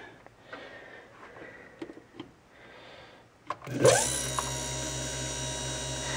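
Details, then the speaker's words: DM-28Q dynamotor for a BC-348 on about 28.5 V supply, after freeing a stuck brush, cleaning and moly-greasing bearings: few clicks, surge spin-up to steady even hum and whine; about 4 A startup surge dropping fast; runs normally. "that ammeter it did jump up to about four amps on initial uh Power Up The Surge there but uh boy it drops like a stone so looks good"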